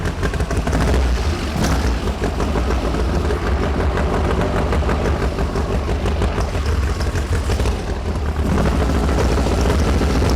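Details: 1973 VW Super Beetle with an air-cooled engine of about 1900 cc, 40 IDF carbs, run and drivability complaint, distributor not cooperating: lumpy, uneven running with pops and stumbles; one side has a dead cylinder, and valves or carb are suspected.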